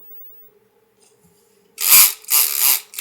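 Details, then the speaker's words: MEUS MB18 RC crawler with brushless motor, after reversing ESC rotation: harsh gritty whirring bursts as motor spins up; worn or mismatched low-range gears grinding. "that doesn't sound good at all but it is going the right way let's go I'm going to go ahead and figure out where that noise is coming from"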